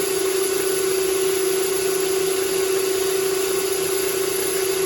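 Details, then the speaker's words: Steady mid-pitched ringing over cutting hiss on a lathe: chatter from long 8mm brass rod overhanging the chuck while turning shelf pegs down to about 7mm for M7x1.0 threads. "Should have done that before I started, but oh well. Now, it being so long, it has a little bit more chatter."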